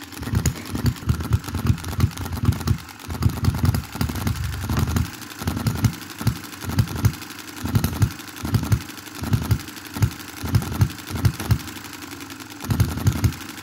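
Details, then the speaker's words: 2022 Enjomor Chinese hit-and-miss engine after valve timing correction and a spring added to the governor latch: short bursts of firing beats, then quiet coasting gaps, repeating evenly every second or two; healthy cycle. "so i'm absolutely pumped about that as you can imagine it's running cool"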